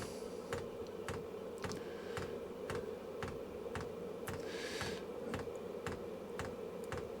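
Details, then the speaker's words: Cheap Vevor diesel heater being installed in a cold workshop shed: the tiny dosing pump ticks sharply about twice a second over a steady fan hum as it primes, drawing fuel up from the tank; no leaks found. "so it is a tiny tiny little pump right so a pump has now just picked up a little bit with regards to its pulse"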